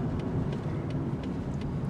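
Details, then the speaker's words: Worn old car nicknamed Old Clanky, turning while driving: steady road rumble with a faint regular knock about three times a second from the steering wheel, owner doesn't know the cause; knocking while turning. "we're going to turn here the steering wheel goes bump bump bump"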